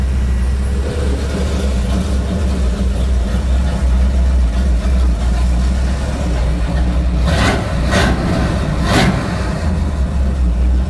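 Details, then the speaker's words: 1954 International Metro first start after build, 50 series Flowmaster mufflers with exhaust cutouts opened: deep, loud, steady rumble with a few sharp rev blips near the end; runs cleanly, no leaks. "it sounds good too sounds really good we went with those 50 series flowmaster so i didn't want it to be too loud where you could notice a difference with the cutout so cutouts sound nice and beefy and i love it"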